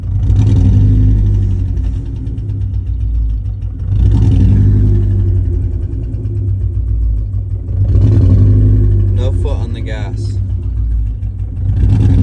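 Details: 2015 Ford Mustang EcoBoost with revs rising and falling in surges over an uneven, lumpy low note; engine misfire, cause unclear.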